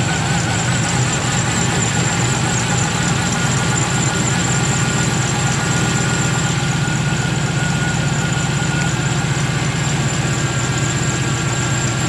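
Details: 1996 Impala SS with a 5.7 LS swap, freshly tuned and fitted with a new idle air control valve: low, settled V8 idle with a lumpy cam chop about four times a second, steady and even, no hunting; normal idle.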